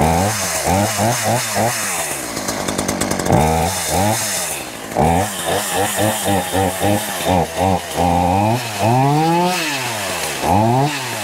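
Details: Poulan Pro two-stroke chainsaw, cleaned up and readied for a new season, buzzes through quick blips and a long rev, firing crisp and even throughout; it doesn't run too bad, normal healthy running.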